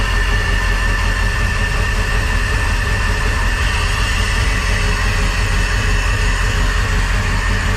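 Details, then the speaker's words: Crusader 8.1 Captain's Choice marine V8 with new long block, not reaching rpm, idling before diagnosis: steady low idle with an uneven, lumpy beat, one cylinder not pulling; full-on dead hole, misfire later traced to injector. "oh yeah that's running rough it is like a full-on dead hole here"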